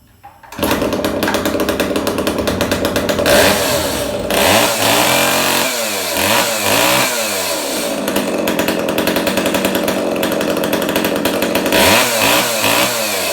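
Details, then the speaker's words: Echo 290 EVL chainsaw just after carburetor cleaning, bar and chain refitted (chain worn out, bar poor): starts readily, revs crisply and drops back to a steady idle between blips with no bogging; runs pretty good. "it runs pretty good we're going to get a new chain and a new ball for it the chain is wasted and the bar is not that great"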